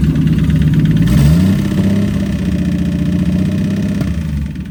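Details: Engine idles and revs with a quick steady tapping knock, about four a second, following engine speed; noise has returned, owner suspects the piston is still hitting something inside, not confirmed.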